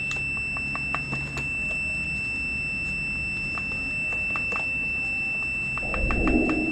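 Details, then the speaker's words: Multimeter continuity beep on a 1995 Arctic Cat ZR700 snowmobile's tether switch red and white leads, holding steady while the wiring is wiggled during intermittent spark diagnosis: tether switch circuit has continuity and is good. "so if you hook it up to the ohms it's showing that it's got continuity and now i'm gonna wiggle it you can hear the the beeping going off that means it's got connection"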